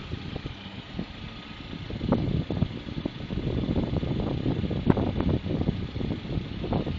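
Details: Lada Priora 21126, block bored for 82.5 Avtoram pistons, new Prima rings, under 1,000 km: knocks badly when cold until warm. Warm idle has an uneven tapping that comes and goes. Owner suspects the camshafts.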